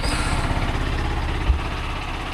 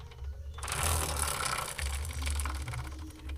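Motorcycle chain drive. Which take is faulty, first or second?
second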